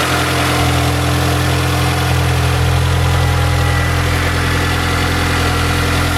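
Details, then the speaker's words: Mini Cooper idling after coolant bleed (overheating blamed on air lock): steady, even, smooth idle with low hum, no misfire; no head gasket symptoms found. "This engine also does not misfire. It doesn't run weird at all. It runs nice and smooth, as you guys have already seen."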